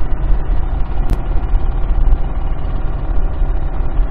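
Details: Toyota Celica with a spun rod bearing, push-started after sitting over two months and driven to the scrapyard: deep, heavy idle rumble with a quick, rough knock running through it, plus heavy blow-by; rod bearing knock.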